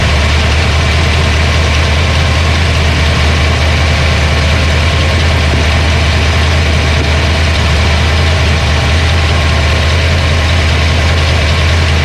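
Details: Mustang 302 HO small-block Ford after clearing the flooded motor, running way more happy: a smooth, regular V8 idle held steady for several seconds with no lifter tick or stumble. A normal idle.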